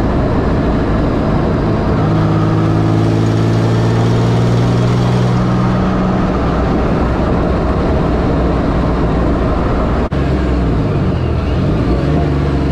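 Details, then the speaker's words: 1984 Pontiac Fiero wide body with 3800 V6 swap, cabin on drive after replacing reused header gaskets: steady even engine drone with smooth revs, no ticking or puffing; normal exhaust, no leak. "before you'd be able to be able to hear a whole bunch of exhaust leak in here now it's quiet yeah it's pretty quick"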